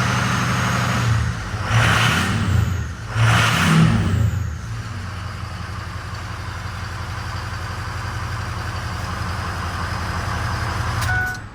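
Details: Ford 6.0 Powerstroke diesel after replacing failed high-pressure oil pump: catches, takes two quick revs, then settles into steady even idle with no knocks or misses; healthy.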